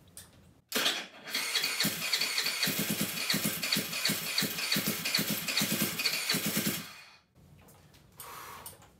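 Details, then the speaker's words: GY6 139QMB Honda Ruckus clone freshly rebuilt with a 100cc big bore kit: the engine catches and runs with sharp rapid pops and a loud raspy note. It runs; an exhaust issue still has to be sorted out. "alright guys well it runs and that is fantastic news so all we've got left to do is figure out this exhaust issue"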